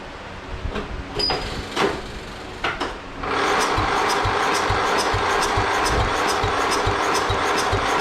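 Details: Murray lawn mower small engine after carburetor cleaning of debris from dirty fuel, choke and full throttle, primed with gas: a few clicks of handling, then it catches and holds a steady, even running note; runs fine.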